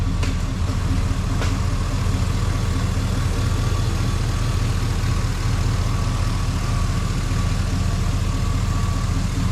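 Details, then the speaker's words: LQ4 6.0 V8 with 4L80E, freshly swapped into an International Scout Traveler, at its first start: smooth, even low idle with a steady rumble and no knocks or ticks, making good oil pressure. "Making good oil pressure. Oh man, this thing's gonna be so rowdy compared to the old SV."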